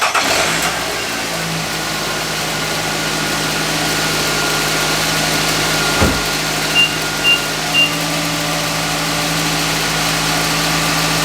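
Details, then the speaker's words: 2013-2020 Nissan Rogue started right after a spark plug change: a quick crank and catch, then a smooth, quiet, even idle. A faint pulley-like whir is heard, but the engine runs fine. "Sounds good, pretty quiet. I hear a little bit of a pulley or something."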